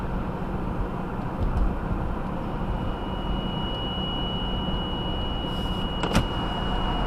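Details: 2018 Subaru Outback 2.5i, 28,000 miles, first drive at about 10°F: thin, even high whine over engine and road rumble at cold idle and light acceleration, RPM-dependent, stops off throttle; cause not confirmed.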